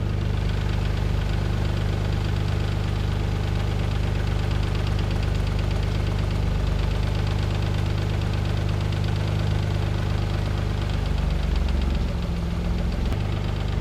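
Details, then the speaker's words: Mazda KL-DE 2.5 V6 swap, timing at 10°, warm, diagnostic mode, idle screw turned quarter turns: steady smooth drone easing from about 1000 to 950 rpm; target 400-600; idle still too high. "we're still on 1,000 RPM on that I another quarter of a turn so another quarter of a turn shine about 950 you want to get 400 to 600 these idle really low"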